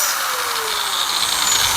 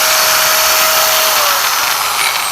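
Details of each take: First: Angle grinder before repair, vibrating; the customer says cuts drift 5–10 mm: loud, harsh, gritty high-pitched whir whose pitch sags under load. The finding is a worn gearhead bearing. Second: Angle grinder that was noisy and wandered 5–10 mm when cutting, run after the bearing and gearbox were changed and the four screws tightened: smooth steady high whine winding down, no rattle, noticeably quieter than before. Normal running.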